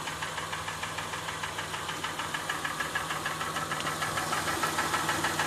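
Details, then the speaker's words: 2007 Honda Ridgeline, recently bought used, in park with AC and fan off after revving: light steady ticking knock about three per second over a smooth idle; dealer called it faint and intermittent; cause not identified. "this is the noise coming out of my car the car is in park the air conditioning is off the fan is off I've already revved the engine"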